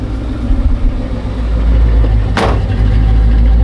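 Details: Same truck on a later start attempt: low, even idle rumble with no stumble or skip. Sounds normal, though timing may need slight further adjustment.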